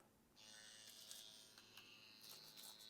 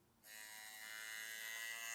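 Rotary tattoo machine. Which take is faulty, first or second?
second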